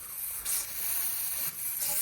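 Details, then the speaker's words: Trash-picked air compressor with broken regulator removed: steady sharp hiss swelling and easing as pressure builds; owner suspects a leak around the hose missing its clamp. "There's still somewhere that it's leaking. Oh, that might just be around that hose where I'm missing a clamp back there."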